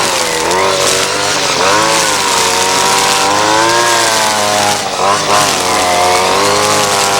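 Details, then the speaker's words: Ryobi SS30 30cc two-stroke string trimmer after a simple carburetor low-jet adjustment, trimming under load. A high buzz dips and recovers cleanly as the line bites, with no bogging or stalling, so it is running well. "trimmers running great just a little bit of tweaking has definitely helped and it's probably not exactly fine-tuned but uh you know it's running great as far as I'm concerned here it's just not bogging down it's not stalling out"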